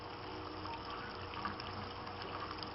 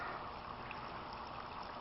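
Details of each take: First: Aquaponics grow bed bell siphon fed from goldfish pond: steady water rush and irregular gurgling without breaking into silence; siphon not breaking, owner suspects not enough air getting in and more holes needed. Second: Homemade aquaponics grow bed, a cut-down motor-home water tank fed from a large goldfish pond, bell siphon with 3/4 in standpipe and 1 in drain: steady, even trickle and splash with no gurgling or surging; flow sounds normal with the bell now working.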